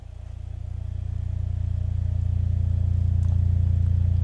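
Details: Repaired Miller & Kreisel V-2B subwoofer after main filter capacitor replacement, sealed and driven at low test frequencies around 20–30 Hz: deep, steady tone swells and holds clean with no buzz or crackle; normal bass output.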